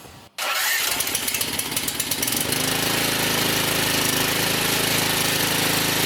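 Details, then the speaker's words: Cub Cadet CC760es walk-behind mower with rebuilt Huayi carburetor, fresh oil and gas, started on choke: catches quickly and settles into a smooth, even normal idle. "up oh that sounds nice let's check idle"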